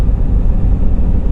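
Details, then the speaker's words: 2011 Ford F150 EcoBoost on road test after replacing the turbo bypass valve diaphragm, cruising around 1,800–2,000 rpm: steady low drone, earlier moan and groan gone; normal turbo induction sound. "around 1,800 2,000 rpm right around there and it's quiet as a church mouse right now"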